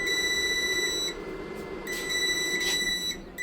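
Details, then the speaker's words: GRENER LiFePO4 12.8V 100Ah battery powering a heater on medium-to-max through an inverter: at 9.9 volts a steady high-pitched beep, about four per second, sounds as the low-voltage alarm, and the inverter shuts off at about 1 hour 19 minutes 41 seconds. "9.9 volts now. I hear the alarm. Okay. The alarm says we're going to be shutting down here any second"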